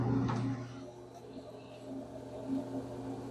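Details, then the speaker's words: Kenmore dryer that runs but doesn't dry: the drum doesn't turn while the motor spins freely with a smooth hum and no tumbling. The belt broke/fell off or the idler tensioner pulley broke; finding: idler pulley fallen off. "Hear that noise? That sounds like either the belt broke or there's a little tensioner that puts tension on the belt so the belt can grab the drum. That might have broke."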